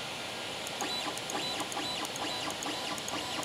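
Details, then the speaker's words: Creality Ender 3 Pro with 8-bit mainboard lacking Trinamic drivers, before upgrade to the silent 4.2.7 board: loud, shrill stepper whine rising and falling in pitch with each bed and axis move and during homing. "Yeah, this is also an 8-bit board too, so yeah, hear how loud that is. I can tell it definitely doesn't have a trinamic driver in it. It's not one of those silent boards."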